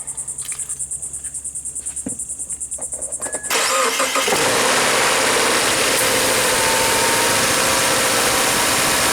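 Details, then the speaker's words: 2014 Subaru Crosstrek just after an oil change with Valvoline 0W-20 (5 1/4 quarts): starter cranks quickly, engine catches after about 3.5 seconds and settles into a smooth, even idle without knocks; sounding good. "Sounding good."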